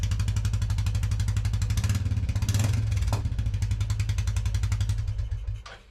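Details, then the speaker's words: Royal Enfield Classic 350 Reborn started after fitting a touring handlebar kit with longer throttle and clutch cables and refitting the tank: a steady single-cylinder thump at about four beats a second with no misses, a normal idle. "I'm just going to start the bike up now and check the throttle is all working okay."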